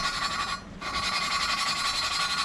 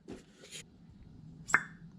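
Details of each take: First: 2013 Volvo S60 T5 2.5T cylinder head, new exhaust valve 3A being hand-lapped on a first pass: a harsh gritty rasp in long strokes with pauses. The compound is still grinding; the valve and seat are not yet mated. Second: 2013 Volvo S60 T5 2.5T cylinder head on bench, new exhaust valve lapped in, finger over valve port; single sharp suction pop when pulled off quickly, showing the valve seals well.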